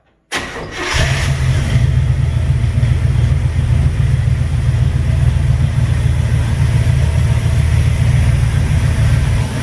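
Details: 1958 GMC 4x4 started without throttle: the old V8 cranks, catches and settles into a deep, loud, slightly uneven, lumpy idle. Owner suspects gunk in the carburetor and plans to clean it; fuel is reaching the fuel filter.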